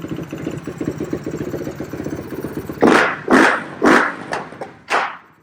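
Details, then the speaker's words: 2007 Suzuki Quadracer LTR450 that won't take throttle: rough, stumbling idle, then five uneven bursts when throttled that die away and backfire; possibly loaded up from cranking, but fuel starvation. "Shouldn't be getting too much fuel, but I have been trying to crank it, so it's probably loaded up. Feels like it's taking no fuel."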